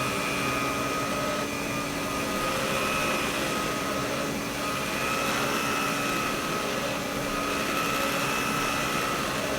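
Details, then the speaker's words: Vintage Electrolux power nozzle after fitting a brand-new brush roll: steady high motor whine with an even brush hum; sounds better than before, only slight vibration left. "Anyways, let's hear how the head's going to sound with a brand new brush. Wow, that sounds better."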